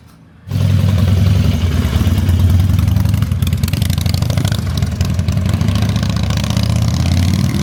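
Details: 20+ year old carbureted Harley-Davidson twin, refreshed after sitting with new fluids, fuel lines and carburetor: quick catch and deep steady loping idle with no misses or stumbles; healthy start and idle.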